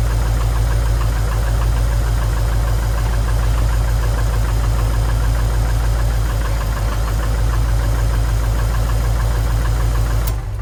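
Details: Subaru STI after engine rebuild, idle: heavy, steady low knocking at about 200 a minute, clearly abnormal; owner asks whether the rebuilt engine is still knocking, source not pinned down and cause unconfirmed, while the clutch pedal squeaks and a cracked firewall is suspected.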